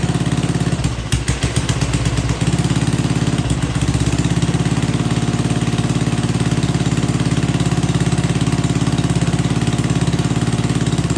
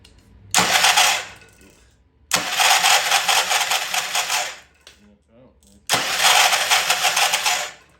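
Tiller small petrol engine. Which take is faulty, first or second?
second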